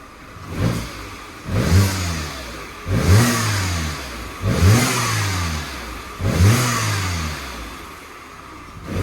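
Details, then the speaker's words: Cheap auction car idling well with oil weeping from the cam cover, blipped repeatedly: each rev carries a rushing hiss over the rise and fall. It sounds like an air or boost-type leak; not confirmed. "Sounds like it's got a leak or something, doesn't it? Like a boost leak or something."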